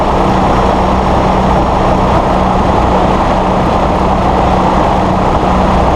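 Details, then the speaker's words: Massey Ferguson 1739E compact tractor driving a RhinoAG TW25 3-point rotary cutter via PTO after hitch setup: dense even roar, steady low drone, no clunks or surging; normal running. "We're going to fire up the PTO and show you how this cutter turns."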